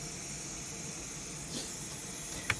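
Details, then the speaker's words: Breville BES990 espresso machine: a soft, steady high hiss with brief spurts as steam escapes at the three boiler heating probes; the fix is replacement probes with O-rings. "Replace the probes. They come up with O-ring inside as well. So, you're not going to have this issue. The triad board. Um, I'm going to keep Yeah, you can see the water is too much steam."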